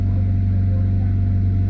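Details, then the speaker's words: Mitsubishi Evo 6 (CP9A) running just after a 340LPH E85 Quantum fuel pump install, with no fuel leaks: steady, even low drone with no misses, stumbles or surging. The pump is working and the engine runs cleanly. "yeah no fuel leaks Felix [Music] sounds like it's working any other pump Klump is working"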